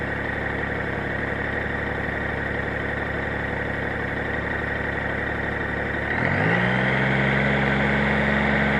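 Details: Gold 1800 flat-six idling steadily with a faint regular tick about four times a second, then a slight rev; engine noise present, cause not pinned down.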